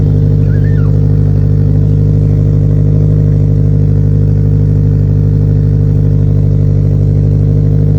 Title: Hard start on E-85